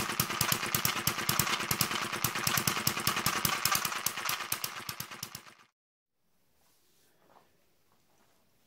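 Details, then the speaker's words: David Kerzel hit-and-miss model engine, newly finished and still running in (water-cooled, spark ignition): rapid sharp metallic clatter on each firing stroke, then quiet coasting; tight new gears noisy until run in, governor and exhaust mechanism still stiff. "The gears are quite tight as well, so they're a bit noisy until it starts to run in."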